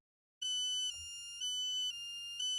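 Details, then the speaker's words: Medtronic patient programmer for Activa PC/RC neurostimulators: clear high electronic beeps, two 5-second series then a 2-second pause, repeating every 15 minutes; reminder to check the neurostimulator battery. "Slišali boste 2 seriji piskov po 5 sekund, nato pa bo sledil 2-sekundni premor, kot lahko slišite tukaj."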